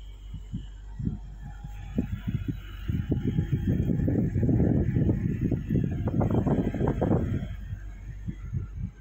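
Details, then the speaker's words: Window AC: uneven low rattling thumps build steadily louder after compressor kicks on, vibration carrying room to room as if the house shakes; compressor vibration noise, no clear cause. "यह आवाज बहुत बाढ़ जाता है एक room से दूसरे room में आवाज आने लगता है ऐसा लगता है की घर वाइब्रेट कर रहा"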